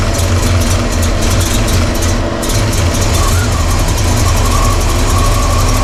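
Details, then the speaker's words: Carbureted V8 (1968 Pontiac LeMans or Chevy C10) idling while timing is adjusted: heavy rumble with a thin whistle rising partway through, a massive vacuum leak from the PCV valve hose popped off; low vacuum readings were noted. "Um, the PVC popped off. Obviously, that was causing a massive massive leak in noise."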